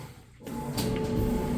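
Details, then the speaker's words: Amana electric dryer, a couple of years old, running on heat without the vent hose: soft, even tumbling rumble after a short pause, no scraping, thumping or squeal; normal dryer tumble. "And as you can see in here, that sounds great. And you wouldn't be able to hear the blower motor either if you had the vent hose hooked up on the back. It would be virtually silent. You would just hear the clothes kind of tumbling along."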